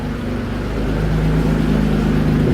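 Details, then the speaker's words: Mitsubishi 3000GT VR4 after engine work with boost controller fitted: deep, even exhaust note climbing smoothly as engine is revved, no misses or rattles; engine runs healthy, though owner says new cams are needed. "she's alive she runs I'll give you guys one more sound of the exhaust"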